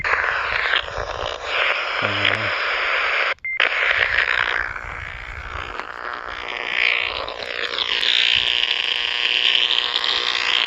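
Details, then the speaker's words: Harsh, hissing, raspy buzz on a radio that swells and fades unevenly and comes and goes, like arcing interference from a nearby power line; owner suspects a bad or loose ground, since shaking the ground briefly stops it. "i think it's the ground an issue it's either it's either a ground an issue it comes and goes"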